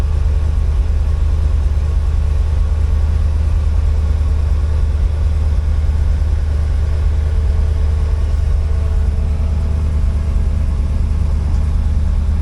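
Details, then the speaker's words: 1964 IH Travelall C1100 with new starter, warming up, temperature 174 on a 180 thermostat: smooth even low rumble at settled idle, no misses, knocks or ticks; healthy idle. "It's sounding really good. Uh, temperature is at 174. It's a 180 thermostat."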